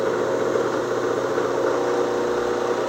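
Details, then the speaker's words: Homemade 12-inch disc sander with Baldor motor and plexiglass guard, running: steady even motor whir at constant pitch, no knocks, rubbing or wobble; runs pretty smooth, normal running. "So it runs pretty smooth. Pretty happy with it. I have a Baldor motor."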